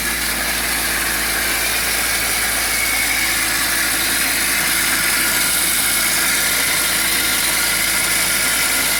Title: BMW E46 Screeching Noise from Engine Bay (M52) 323i